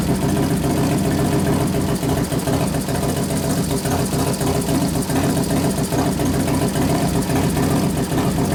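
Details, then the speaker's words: 1993 Harley FXR Evolution 89ci stroker, new build first start-up, air cleaner off: loud, loping potato-beat idle with no knocks or misses, accelerator pump turned down a couple turns; healthy normal idle. "I turn the acceler pump down a couple turns so I cuts a lot of that out sounds good we got to readjust it once you put the air cleaner on"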